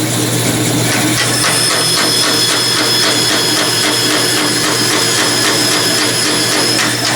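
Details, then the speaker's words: Saw cutting stock for a model steam engine, kerosene used to stop the non-skip-tooth blade loading up: a steady cutting hiss with a rhythmic thump about four times a second as missing blade teeth knock each turn. "And that didn't take long, but you can hear the thumping where there are teeth missing from the blade."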